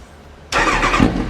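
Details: Kawasaki ZX9R E2 first start after carbs refitted, fuel poured into fuel pump pipe, tank connected not bolted, carbs not yet balanced: cranks once, catches abruptly, busy slightly uneven run with a brief blip; starts and runs fine.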